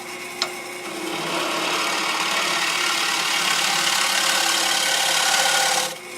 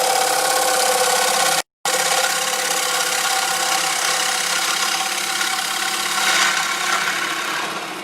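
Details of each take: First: Woodturning on a lathe: steady, even hiss of the gouge in the solid, uncracked part of the wood for about five seconds, with no knocks or chatter; a clean, normal cut. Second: Woodturning on a lathe, tool moving from sound wood into a heavily cracked section about 5/8 in thick: steady rasping cut thins and lightens as it crosses the crack, and a chunk breaks out.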